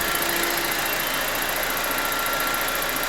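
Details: BMW E87 N45B16 after VANOS replacement, not yet fully warm. Smooth idle with fast, light, even ticking and no rattle underneath: normal injector noise. The camshaft/VANOS knock appears cured.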